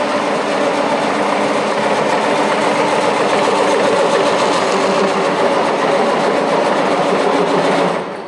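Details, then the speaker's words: Diesel farm tractor cranking on the starter for about eight seconds in a steady rapid chatter without catching; hard starting. The owner thinks a check valve is needed and assists with ether, but the ether can is nearly empty. "I will assist with just a tiny bit of ether I don't think there's anything in it uh that is pretty pretty empty pretty much air"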